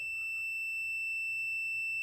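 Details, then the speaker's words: Washing machine that fills and agitates but won't drain or spin; lid switch tested with a multimeter while manually engaged gives a steady, unbroken high-pitched beep; continuity, switch good. "you can see here here's the switch and I'm going to manually engage the switch and you'll hear that it does have continuity once it starts to beep"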